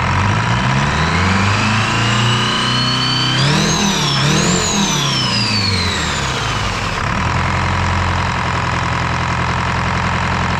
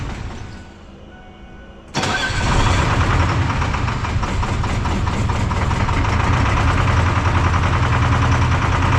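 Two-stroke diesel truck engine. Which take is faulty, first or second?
second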